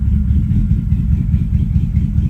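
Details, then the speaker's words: V8 idling with an uneven, stumbling beat as one cylinder drops out now and then; the scan tool logs a misfire code for cylinder eight. "okay um that's misfires some check error followed by what cylinder oops cylinder eight so now cylinder eight is missing so we'll clear"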